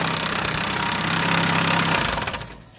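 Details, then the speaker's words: Chevrolet Aveo 2015 petrol engine cranked with the timing cover removed: rapid, busy clatter like lifters; actually a slack timing belt that lost tension and slaps its cover, not lifters or main bearings. "Mira el problema que ocasiona ese ruido amigos es nuestra banda de distribución que pues se destensó perdió su censura ahora pues mire está muy floja Claro que arranca y pega con La Tolva"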